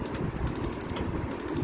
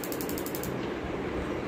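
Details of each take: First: Gas stove auto igniter not sparking: rapid, sharp clicking about a dozen times a second with no whoosh of ignition; the igniter spark unit was faulty and was removed, after which it sparked. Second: Gas stove auto igniter after repair, a quick even run of sharp clicks about ten a second then quiet; it previously gave no spark and now sparks properly.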